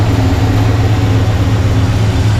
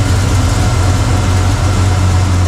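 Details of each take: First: 1985 Chevy C10 Blueprint 350 V8 after sealing off a torn vacuum hose, timing unchanged: deep, steady idle with an even pulse and no misses or stumbles; running a little better. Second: 1985 Chevy C10 pickup with Blueprint 350 V8 that diesels at shut-off: deep, lumpy idle with an irregular loping beat, then it cuts out, running rough with distributor timing turned the wrong way while timing and vacuum are being adjusted toward about 10.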